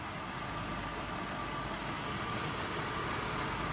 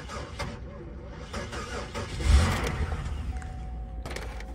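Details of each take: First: Copart auction car, jump-started with a booster pack showing about 14 V. Steady, even idle with a smooth hum and no knocks or misses: it runs fairly well. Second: Low-mileage Honda Accord marked as a non-runner, cranked on a booster pack; slow, lumpy, very uneven cranking in bursts that sounded almost like a compression issue, before it catches and runs: uneven cranking from weak battery.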